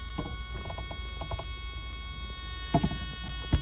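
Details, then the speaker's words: Steering servo on a 1/8 Serpent truggy unused for a few years, first run: thin steady high-pitched buzz with scattered clicks and thumps at idle, then it stops; servo likely needs replacing. "coming from the good old sery from the steering survey so now it just stopped so must know I'm talking about it so I'll probably have to replace that"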